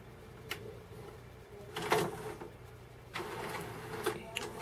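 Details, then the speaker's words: Sony MHC-ZX30AV mini system CD changer after its bad belts were replaced; soft whirring with clicks and clunks as it cycles through the trays normally, though the tray had previously failed to eject. "Oh! It's going through the trays. I think it might do it."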